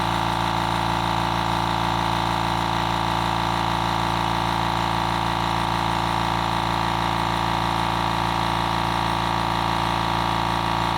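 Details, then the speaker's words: Fortress 6-gallon air compressor on a table, phone decibel meter between compressors (background about 36–37 dB): steady, even motor drone with strong mid-pitched hum, no knocks or rattles; normal running. "Now we're going to do the Fortress, the 6-gallon compressor, turn it on, and see what the rating goes to."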